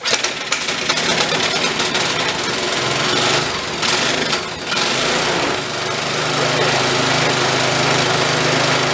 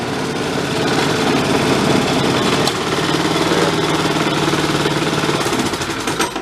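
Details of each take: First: DR Power Wagon single-cylinder engine, crash-damaged estate-sale find, cold just after first start, under throttle: rough running with uneven clattering rattle; owner thinks it's just something rattling, not the motor itself. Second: DR Power Wagon single-cylinder engine, apparently crash-damaged estate-sale find, running in gear (only first and reverse work): steady even thumping, no knocks or misses; engine seems decent, normal running.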